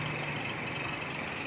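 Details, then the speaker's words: 2010 Chevrolet Captiva petrol at idle, 310,249 km: a steady high squeal rides over the engine from the belt tensioner pulley; the weakened tensioner spring lets the belt go slack and slip, and the tensioner is to be replaced. "จะเห็นได้ว่ามันจะมีเสียงอันนี้คือสปริงมันล้านะครับ"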